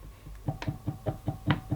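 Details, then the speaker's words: Electrolux 380 Turbomatic vacuum cleaner, first run: dull, even ticking about five a second over a faint, sluggish, varying motor hum, part not turning, not as smooth as it should be, cause unknown; ticking while motor slows. "hmm doesn't sound as smooth as an Electrolux should sound I don't think [Music] so it basically stops another thing that's right that's not moving at all I thought it my idle varies very slowly I can hear it very just ticking ticking"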